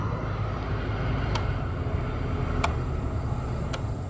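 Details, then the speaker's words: Chevrolet Trailblazer heater blower after the blower resistor and burnt wiring connector were replaced, key on with the engine off: steady, even rush of air on top speed with no squeal or ticking; all five speeds, including the once-dead speed four, now work. "all right so let's hit number one here and see what we got all right it works number two working you probably hear it number three it's working and the one that didn't work before number four yeah and number five working"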